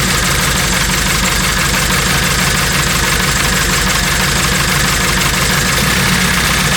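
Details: 1997 Honda Civic EX coupe, built turbo D16Z6, after coolant bleed: loud idle with an uneven, stumbling beat; moving the coil-on-plug wires affects running, indicating a misfire from a loose coil connection.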